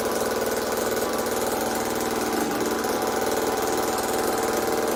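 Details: Old Homelite chainsaw, owner guesses 1960s or 70s, just reassembled and started with choke off: steady, fast two-stroke buzz with an even pulse of about four beats a second, a little rough; runs fine though owner says tuning could improve it.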